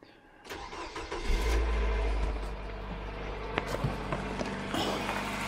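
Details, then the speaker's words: 2009 Nissan Cube CVT, 195,000 km (about 120,000 miles), overfill drained but fluid dirty, before filter and fluid service: start and idle with a steady faint pump whine over the engine; metal bits later found in pan. "we'll see if we can get this pump noise to go away but let's have a listen"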